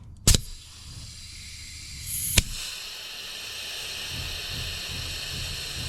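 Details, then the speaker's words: Peterbilt truck on temporary air supply after cleaning rust from valve seat, brakes applied after half charge: sharp puff then steady airy hiss as the line empties; normal air brake bleed-off. "Brakes are on, it's just bleeding the line off."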